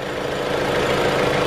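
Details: Jeep Renegade after replacing the radiator cooling fan with an aftermarket part, engine warming from 91 degrees until the fan cycles on and off: steady, even idle with smooth hum, no knocks, ticks or misses; normal.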